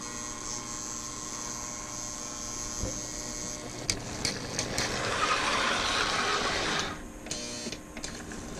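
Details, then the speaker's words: 1963 Lionel Alco FA 218 Santa Fe toy locomotive with Magne-Traction, bought non-running at an estate sale, first test after the motor was reassembled: a steady electric hum with light clicking and track noise midway. The motor runs smoothly and evenly. "Hey, it works! Excellent! Alright. That is great."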